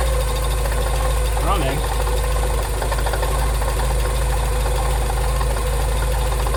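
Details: Porsche 944 that sat 20 years in a hedge, at its first start after revival: rough, uneven idle with a steady low rumble and faint regular knocks; something mechanical is really unhappy, cause not identified.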